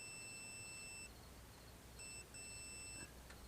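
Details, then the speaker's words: Continuity test on an intact fuse: a clean high-pitched beep lasts about a second, stops, then beeps again, showing continuity. A blown fuse would give no beep. "you completed a circuit. So if the fuse was blown, you touch the one end, touch the other end, you would get no beep."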